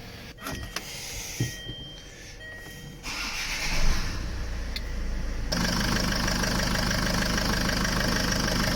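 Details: Land Rover diesel first start after new cambelt, water pump, power steering pump and turbo hose, fluids refilled; clicks and handling, then it catches and settles into a steady, even clatter. Normal idle.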